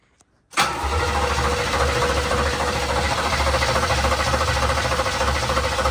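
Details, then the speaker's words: Long-unrun 1987 Camaro Z28 or 1985 Monte Carlo cranked with fuel squirted in: steady cranking at about 3.5 turns a second with no firing; later traced to a power supply fault at the ignition switch feeding the fuel pump and ignition. "sounds like we got no fire it's not even trying"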